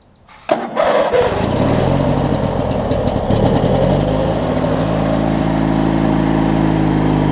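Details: Craftsman LT1000 rider with a swapped-in opposed-twin engine, run with the blades engaged and a strap fitted: it fires, catches and settles into a steady, even drone with no grinding or squeal. Normal running, though the owner notes some deck belt wear.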